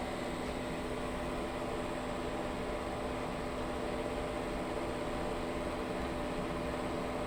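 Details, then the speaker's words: Pit Boss Competition Model pellet smoker after a new igniter install, temperature set to 225 degrees: combustion fan blows harder, steady whoosh with no rattle, with no error so far where it used to fault. "So I bumped the temperature up to 225 degrees. You can hear the machine reacting to that. The fan is blowing harder."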